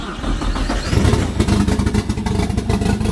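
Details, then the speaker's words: Nissan S14 engine after going back in: it catches and idles with ragged low pulses, then starts smoothing out. Still rough on cold start, with the fuel map not yet made. "Gotta work on cold start a little bit, but up. There we go. You hear that? She's smoothing out."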